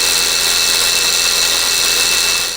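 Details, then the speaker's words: 2014 Subaru Forester FB25 engine, 68,000 miles, A/C not cooling: loud harsh high-pitched whine with hiss, changing in intensity, from under the hood; noisy A/C compressor, to be replaced with a new unit. "i went to it started up and immediately heard some crazy noise coming from underneath the hood"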